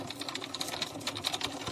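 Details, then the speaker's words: Aquarium external canister filter making a "gu-gu-gu" noise with flow suddenly reduced: fast, even rattling ticks (~10/s) from the filter head as the impeller only twitches instead of spinning. Cause: broken magnet on the impeller shaft, later repaired with glue. "来，我开了来，你是不是听到咕咕咕的声音？这咕咕咕的声音你就注意看，它这个叶"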